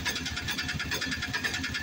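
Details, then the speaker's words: Peugeot (Pjo) BS4 auto-rickshaw single-cylinder engine idling after tappet setting cured long-cranking start: starts on one self-start, quick even putter with light tappet tick, no misses. "एक self में engine start हो गया एक self में तो देख लिया आपने कि इसमें सिर्फ और सिर्फ टपट सेटिंग का फॉल्ट था जिसकी वजह से इंजन स्टार्ट नहीं हो पा रहा था"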